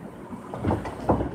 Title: Road Plates Noise Is Driving Me CRAZY